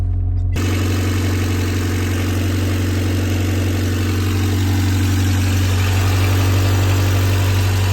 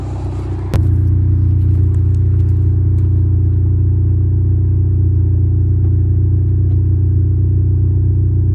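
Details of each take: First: 1989 Honda Civic EF sedan idling just after its first start from non-running; steady, even low hum with no knocks or misses; owner suspects a bad alternator; normal idle. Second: 1989 Honda Civic EF sedan revving with the whole rear section of the exhaust pipe broken off and missing; deep, loud droning rumble with a raw pulsing note and little treble; exhaust leak from the broken pipe.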